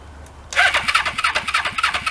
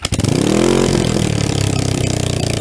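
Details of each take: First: Motorcycle first start after relocating coils under tank: quiet, then catches within a second and settles into quick even pops; clean healthy start. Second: Motorcycle first start after relocating ignition coils under the tank: starter cranks, engine catches and settles into a fast, steady pulsing idle with brief revving; idle set slightly high by accident.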